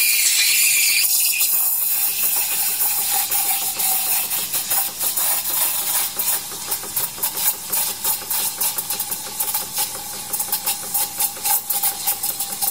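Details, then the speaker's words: Decent Espresso DE1+PRO, about a week old, steaming about 200 ml of 2% milk for 40 seconds: strong steady hiss with soft fluttering sputter as milk stretches; plenty of steam, normal. "then get a nice willful really really quickly and I was 40 seconds according to my timer there"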